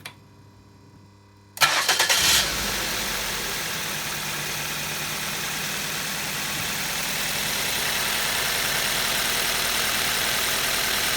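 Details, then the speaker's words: 2011 2nd-generation Ford Focus, 2.0 petrol, automatic, idling with cylinder 2 ignition coil disconnected to demonstrate misfire: uneven, slightly lumpy idle from one dead cylinder. "We will demonstrate misfiring on a 2nd generation Ford Focus with a 2-liter petrol engine, now to hear how the engine sounds with misfire, turn off the ignition coil 2 cylinders"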